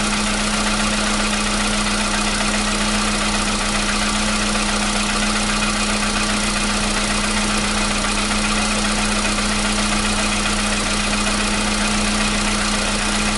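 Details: 2015 VW Polo Sedan (CFNA petrol), 76,000 km, cold start with new battery: steady even cold idle, smooth hum, no clatter; the cold-start knock it had since 2016 has suddenly disappeared.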